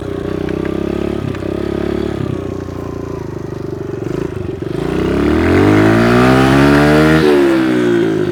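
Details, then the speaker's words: Kawasaki KLX110 pit bike with new pipe and airbox, after fuel screw (about 1.5 turns out) and idle screw adjustment: steady single-cylinder idle, then a clean rev climbing smoothly to the top and back, crisp, no stumble; previously wouldn't rev out; healthy full rev-out. "Oh, this thing runs way better. Sounds like a stock bike again. It actually revs out too. Remember last time it wasn't revving out."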